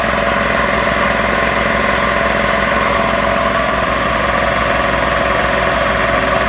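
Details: Magna Force air compressor after repairs, under load building pressure toward a 160 cutoff: steady loud pumping drone with an even beat of roughly three pulses per second, holding constant; running normally.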